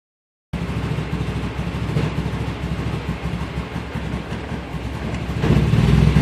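Engine idles with an uneven, lumpy beat of about three pulses a second that surges near the end, a rough idle.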